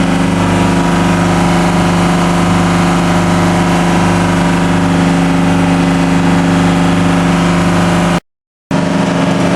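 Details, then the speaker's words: TDME 490 58 hp marine diesel with 3:1 hydraulic gearbox, newly fitted to a motor boat in place of a 4Ch 8.5/11, not yet run in, on sea trials: about 2000 rpm cutting through waves, speed 11. Steady, even drone with no knock, miss or rattle. Normal running under load. "Вот так мы режем волну на 2000. Такой у нас элеватор."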